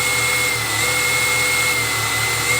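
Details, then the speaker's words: Tamiya XV01 RC car, brushless, at full throttle; steady high whine over a cooling fan's airy rush, smooth and constant with no grinding from the belts, healthy drivetrain. "à fond alors le ventilo qui est dessus il fait du bruit mais la transmis en elle-même elle fait pas de bruit du tout"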